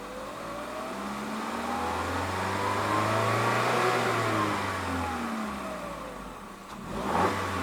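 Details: 2021 Peugeot 3008 Allure, 1.6 THP EP6CDT turbo petrol, 6-speed automatic, stationary: smooth rise to a held rev, then an even drop back to idle, no knocks or rattles; normal free revving.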